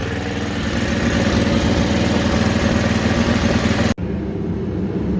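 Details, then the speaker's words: Tecumseh HSSK50 5 HP engine on Mastercraft 24-inch MTD snowblower at full RPM: pulses about four times a second instead of holding steady; engine hunting, emulsion tube problem suspected. "this one here will not stop hunting. And what hunting is if you watch, I had the cover off, it just sits there and does this run, run, run, run, run, run, run, run, at full RPM. It's trying to find itself, and I think that's an emulsion tube problem."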